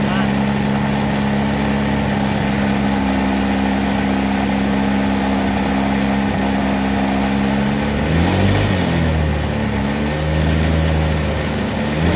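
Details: Honda Vario 125 scooter with intermittent stutter, after fuel pump replaced and water-filled tank found: even engine drone holding steady, rising and falling smoothly with throttle, no sputtering or cutting out; fuel delivery sounds healthy.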